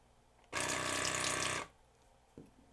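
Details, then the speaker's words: Waterpik SF-03C/SF-03W cordless flosser that had intermittently stopped working, floss button pressed: about a second of steady even pump buzz with water hiss, stopping cleanly; pumping normally. "okay that's working ah shoot all right I just don't quite know what to do with this thing at this moment because it is actually working"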